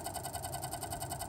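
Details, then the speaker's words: New Sparkle Power SPI 850 W power supply, noisy right out of the box. Fast, even pulsing whir about ten beats a second with a thin high whistle. Fan suspected. "it sounds like it's the fan but i don't really want to stick anything in it in the fan or whatever to make it stop"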